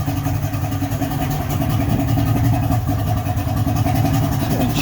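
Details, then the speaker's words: 55 hp Johnson three-cylinder two-stroke outboard after teardown and carb adjustment; steady, even burble with no misses, firing cleanly on all three cylinders, with no fuel leaking from the carbs; owner thinks it's fixed. "i would say that sounds pretty awesome pretty good i'm pretty happy with that we got no fuel pissing out of the carbs we got i could feel the good suck definitely running on all three cylinders it's got that lovely blah blah blah blah sound i think it's fixe"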